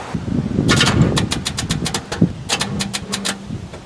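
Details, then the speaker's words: Bluick with a carburetor, on jumper cables, its roughly 6-year-old battery stone dead after repeated discharges to 0 volts: rapid dry clicking in short bursts with no cranking; battery too flat to turn the starter. "so obviously as you can tell the first attempt didn't work but that is not necessarily faulty jumper cables or a bad connection like I showed this battery is pretty much stone cold dead"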